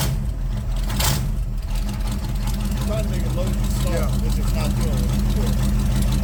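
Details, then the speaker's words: C3 Corvette carbureted V8 idling during the carb tune: deep, steady burble, even beat, no misses or stumbles; said to be running pretty good; normal idle. "I mean right now it's sounds like it's running pretty good"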